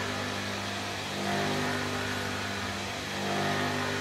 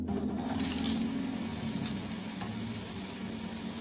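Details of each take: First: Sanyo household water pump running with no water drawn all day, tank empty: steady motor drone with coarse, surging roughness; pump not sucking water, lost prime and running dry. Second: Sanyo water pump that ran rough because it wasn't drawing water: after priming, the water rises and the pump settles into a steady, smooth motor hum with rushing water and no harsh rattle. Normal running; a small leak at the top.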